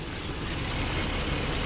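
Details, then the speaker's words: 2010 Toyota Tacoma with 17,000 miles at idle on a trail: rapid light ticking like a sewing machine over a steady engine hum; the owner is unsure whether it is normal and the source is unclear. "Sounds like a sewing machine. Engine noise. You hear that engine noise? I don't know what that engine noise is about. Is that normal for a Toyota motor?"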